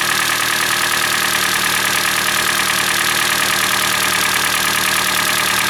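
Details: Hyundai Elantra (2012 or 2013), G4NB engine, about 240,000 km (mileage uncertain), cold start and idle: steady idle with dull rapid knocking tied to engine speed; knock is louder when hot; piston slap from scuffed cylinder walls.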